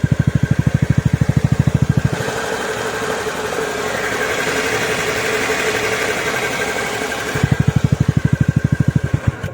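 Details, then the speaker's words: TVS NTorq BS6 scooter engine after crank and block kit work and valve seal replacement, fixing an engine noise problem: even, steady idle with a smooth rev blip, settling back to clean regular idle; noise gone, engine sounds perfect. "जो सुना है, car आवाज एकदम सही है। प्रथम श्रेणी यह हो चुका है।"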